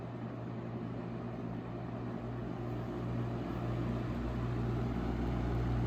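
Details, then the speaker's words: 1970s Lasco 12-inch Super tilting box fan, before restoration, running on low: a deep, even, full low rumble with no ticks, rattles or wobble; the motor runs smoothly and is well balanced. "it's got a nice a full and deep Rumble to it as it runs which is very pleasing to the"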